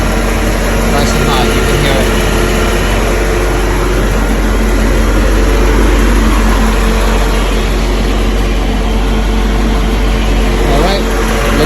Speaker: and there goes the compressor kicks in and you see the fan comes out now